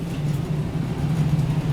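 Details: Newly installed home heating system, running after a thermostat replacement and a filter changed about a month ago: steady low hum with an even rumble underneath and no knocks or rattles; normal running.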